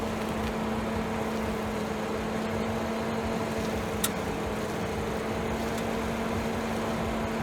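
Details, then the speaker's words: 2011 BMW 535i, after cleaning the sway bar bushings and lubricating the bearings with Blaster silicone: steady low hum, no crackle or creak while steering. The former loud crackling is almost entirely gone; loose bolts are possibly a factor. "All right, I can honestly say this almost worked 100%. I can barely hear anything compared to the noise it was making before."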